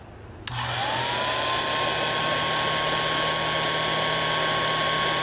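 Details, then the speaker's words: Restored antique Signal Type OB-4 oil can electric drill, rewired, oiled, greased, new brush cover, test run: motor whine climbs quickly to a steady clean high pitch, no grinding or rattle; likely first long run in 40+ years, healthy. "Hear it pick up? I bet it hasn't run that long, in 40 years at least."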